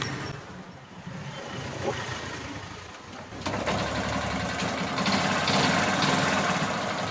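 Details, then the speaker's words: Hero Glamour motorcycle started without battery or wiring kit, the magneto's white wire fed to the rectifier and the earth wire connected: fires and settles into a steady, even idle with a regular beat and no misfires. "చూసారా బండి start అయిపోయింది. అంటే మనకి battery లేకుండా కానీ start చేయొచ్చు."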